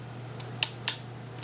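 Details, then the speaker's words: Yashica Electro 35 series camera with an added DIY manual shutter speed circuit, tested before final assembly: several sharp shutter clicks, irregularly spaced over a faint hum; the dial fires at the wrong speeds (one second where B should be). "I don't think the numbers are correct let's try it out sounds like one second that's got to be B which would make this one a 250th"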